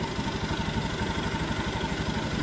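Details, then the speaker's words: Honda Beat ESP that would not start on the key, after the 5-pin relay was replaced: an even, steady putter at idle with no misses or rattles, running normally again with charging at 13 V. "Sekarang mah udah normal lagi ini."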